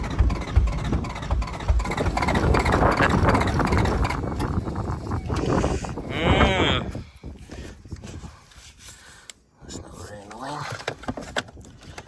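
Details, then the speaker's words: Toyota 1UZ V8 first start after sitting a few years: lumpy, uneven idle with dropped pulses, seemingly on about 5 cylinders; owner suspects injectors blocked by stale fuel, plans trans oil in fuel to flush. "yeah so it runs it's uh I'm guessing it's running on about 5 cylinders I might put some um auto trans oil in the fuel see if that'll help flush anything out I'm pretty sure it's got um you know blocked injectors from stale fuel"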